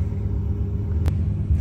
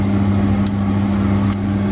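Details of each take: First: Old Glowworm boiler that had no pilot light, after cleaning the tiny injector hole with a needle and reassembling. Even, low steady roar with no flutter or popping; burner relit and firing smoothly. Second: Glow Worm Ultimate boiler not igniting: sharp igniter clicks a little under once a second over a steady hum, no pilot at first, then only a weak flame; blocked pilot injector.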